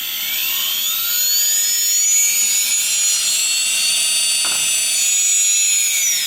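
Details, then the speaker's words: Quadcopter brushless motor on a newly calibrated ESC with a 3S LiPo, throttle raised slightly: a high whine rising smoothly in pitch, then holding steady; a normal, clean spin-up. "just increase the throttle a little bit so the motor will start rotating"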